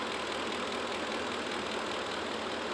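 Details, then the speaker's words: 2004 Ford F150 5.4L V8 after timing component reassembly (bearings had been scored), during test drive: even steady idle with smooth hiss, no knocking or ticking; pretty darn quiet now. "pretty darn quiet now"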